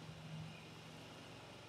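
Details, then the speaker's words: 2017 Ford Fiesta 1.0 EcoBoost idling warm, with temperature rising, after a wet timing belt replacement and left running before sealant cures overnight. It is a quiet, steady, even hum with no knocks or ticks; earlier it sounded like a slight blow, still to be investigated. "so I'm gonna leave this tick over while I'm just put my tools away, wash my hands, switch it off, and we're gonna leave it overnight for the sealant to go off."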